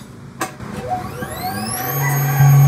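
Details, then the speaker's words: Fuel-injected motorcycle that dies and won't start; the fuel pump's positive and negative supply and ground test good with a test light, and the socket is plugged in. Clicks, then a whir that rises and settles into a steady hum: the pump primes normally. "gumagana naman yung ating fuel pump mga katropa, kompleto naman."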